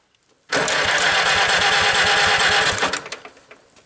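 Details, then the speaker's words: Farmall B tractor after magneto timing on cylinder 1, new gapped plugs, 4-year-old plug wires: steady cranking chug with a little choke, about three beats a second, never fires. Cranks, won't start; magneto timing suspected, not confirmed. "We'll try a little choke. Almost wants to. I don't get it."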